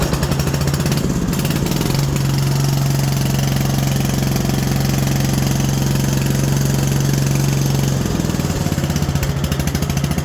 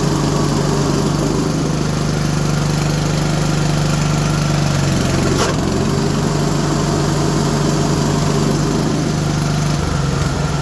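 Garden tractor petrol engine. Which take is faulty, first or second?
second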